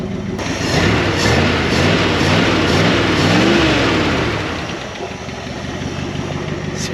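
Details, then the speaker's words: 1974 Dodge W100 Power Wagon V8 after the parked-41-years revival, now firing on more cylinders and smoother. Revving with a sharp puffing tick on each firing pulse: a big exhaust leak. Still weak under acceleration; owner suspects the transmission. "we got some engine work to do it's actually really smooth now big exhaust leak right here before the"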